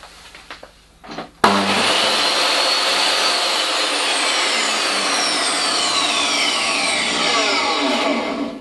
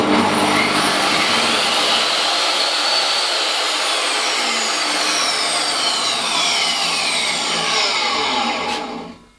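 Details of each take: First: DeWalt DW745 job site table saw universal motor, before fitting soft start module: slams on instantly with a harsh crack then a loud steady high screaming whine; abrupt across-the-line start with no soft start. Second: Table saw motor after fitting a cheap soft-start unit: motor winds up gradually to its high whine without the usual jolt, runs steady, then coasts down; soft start works, not refined but better.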